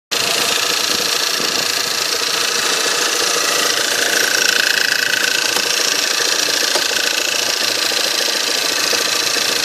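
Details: 1.8 TSI engine, cold start: cold idle with a light, fast tapping about four times a second over the engine; knock source unclear.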